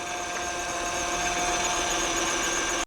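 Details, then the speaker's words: 2008 Honda Odyssey EX-L idling: steady high power steering whine, fluid lost through a leak onto the belt and wrong fluid added. "Honda Odyssey EXL you can hear the uh power steering noise there"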